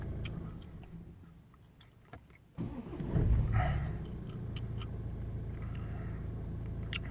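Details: BMW F30 diesel that had no crank, no start from a bad ground cable; after fitting a new cable with cleaned contact points, it cranks and fires at once into a steady, even idle.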